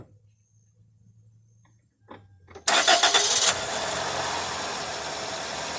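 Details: Camper van being inspected for purchase, started while watching the open radiator for bubbles (air leak/head gasket sign): quiet lead-in, engine catches with a sharp burst and settles to a steady, even idle with no misses or knocks; no bubbles seen.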